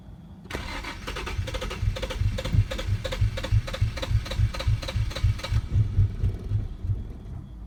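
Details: 2007 Infiniti G35 cold start: starter cranks steadily at about three and a half beats a second for several seconds without catching; happens only when cold, starts normally first try afterward; cold start extended cranking.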